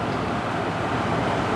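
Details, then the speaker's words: GE 8000 BTU air conditioner running steadily on low fan with a smooth, even blowing rush and no cutting out, after bending the orange-wire connector pin for better contact; it previously shut off on low. Control board was ruled out because the relay clicked. "All right, got it running on low. Yeah, I think that was it. It's not shutting off anymore."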